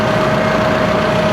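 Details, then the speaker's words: Komatsu forklift engine running with the positive battery terminal disconnected during a charging test; steady, even idle with a constant mid-pitched whine, no misses, knocks or surging; machine stays running, showing the alternator works. "sem fornecer energia, mas a máquina continua ligada. Por quê? Porque o alternador está funcionando, gerando voltagem suficiente para manter a máquina em funcionamento."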